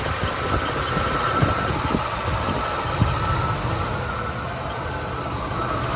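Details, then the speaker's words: 1978 Buick Electra V8 after a carburetor overhaul, hot day, idle turned up half a turn twice, put in gear: lumpy, uneven idle with irregular stumbles as if about to die; owner considers a new coil, cause unclear. "See, it shouldn't fall flat on its face like that. It's a hot day. There's no need for it to stall."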